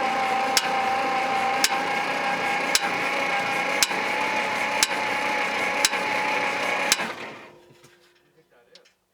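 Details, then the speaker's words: 1960 Bombardier J5 not run in 20 years, cranked via boost from loader direct to starter: sharp metallic bangs about once a second over starter whir, seemingly from the back, then winds down; loud knocking, cause unknown, later quieter as something loosened up. "okay stop that is not a good sound or something i don't know that's really [Applause] loud"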